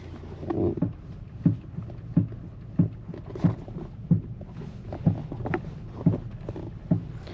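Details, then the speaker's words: Used car test-driven after purchase, cabin audio with door open: sharp low clunks about one every 0.7 seconds over bumps, twice as loud over potholes, front squeaking as suspension loads; control arm suspected, worn suspension bushings. "once it was driving down the road and actually hitting potholes it was like twice that loud every time squeaking like that in the front when the suspension loaded up"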